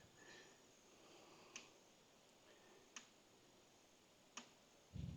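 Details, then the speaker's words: Bear electric fence energizer for beehives, which earlier showed an E2 overcurrent error, after the hot lead was rehooked: sharp single clicks about every 1.5 seconds in a quiet spot; the charger is pulsing normally again. "right, I can hear it clicking, so we're back in business."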